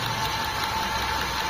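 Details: Nissan Tsuru/Sentra B13/B14 16-valve with a recurring misfire: a steady idle hum with an uneven beat underneath. Checking the plug wires one by one finds one cylinder not firing, and its spark plug is being inspected. Misfire, rough idle.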